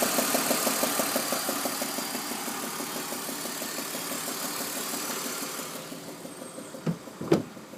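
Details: BMW E46 inline-six at idle, VANOS replaced, plugs, tensioners and pulleys checked: light tick-knock about three per second, fading toward the end; owner suspects an exhaust manifold leak, with throatier exhaust and slight power loss lately.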